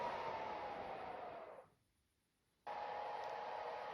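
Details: Secondhand PS4 Pro rebooting into a system software reinstall: a loud constant rushing fan with a faint high tone that cuts out briefly and returns, like a jet engine; the fan roars because the heat sink is clogged with dust.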